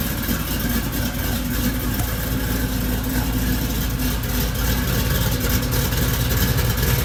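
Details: Supercharged Oldsmobile Cutlass V8 just finished after cam swap, re-gasket and new seals: deep heavy idle with a slight lumpy cam rhythm, steady and even, no knocks or misses; runs well.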